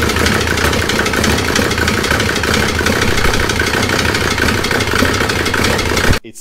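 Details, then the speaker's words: Mercedes-Benz 190E W201 with swapped OM602 turbodiesel, first start after about five years sitting, injector lines just bled: loud rough diesel clatter with heavier uneven knock at idle; last injector suspected knocking, unconfirmed. "like the last injector is knocking um you know like i said this engine's been sitting around for a very very long time now"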